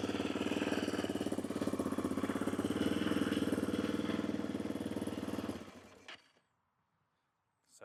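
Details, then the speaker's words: 2006 Yamaha Raptor 700R ATV, single-cylinder, apparently ridden without air filter, cover missing; starts a little iffy, runs uneven and lumpy at about three beats a second then shuts off abruptly, no check engine light; owner suspects old gas. "But, like you can see there's no check engine light or anything. Starts up a little iffy. Maybe needs new gas."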